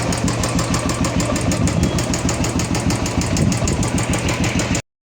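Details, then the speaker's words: Royal Enfield Classic 350 UCE engine idling: quick steady metallic ticking about three per second over thumping idle; hydraulic tappet noise, weak oil pump giving low oil pressure damaged tappet; oil pump and hydraulic tappet to be replaced. "ये गाड़ी का hydraulic tappet आवाज़ कर रहा है।"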